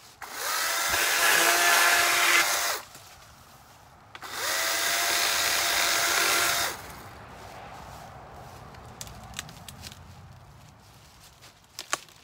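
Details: Battery-powered chainsaw cutting a dry, long-fallen dead limb: two short cutting bursts with a high motor whine that barely bogs and long struggling cuts; the chain is dull and needs sharpening.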